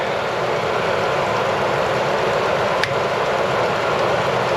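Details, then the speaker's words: Chevy after power steering line replacement: engine holds an even steady hum, no knocks or surging, slightly hesitant start; one stray click, owner suspects a failing replacement alternator ticking near the belt area. "you guys hear how smooth this engine runs be a little hesitant want to start a in just now but I hear a little ticking coming from the Bel area"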